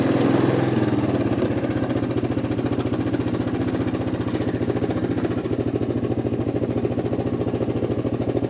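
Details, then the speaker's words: 1983 Honda Big Red three-wheeler, abandoned, after carb cleaning: single thumps about 3–4 per second, dull, muffled and strained; owner suspects plugged exhaust, gas seemingly escaping at header, not breathing freely. "cuz this exhaust is still plugged you can kind of hear it's not quite breathing like it should it almost seems like it's kind of coming out from the header here"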